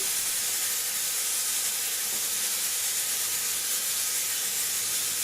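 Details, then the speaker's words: Smoke/fog machine after cleaning gunk buildup, refilling and warming up: strong, steady, even hiss held for several seconds then cut off cleanly, now spraying properly. "we have success people okay this has been one disaster or another we have success this is great"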